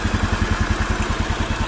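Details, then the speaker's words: Old carbureted Honda Vario scooter that would not start at all, now idling steady and even at about eleven pulses a second, no misses or knocks; carburetor found dirty but normal, no-start blamed on a leaking rubber causing compression loss. "nah ini udah hidupnya udah norma udah keadaan hidup segar"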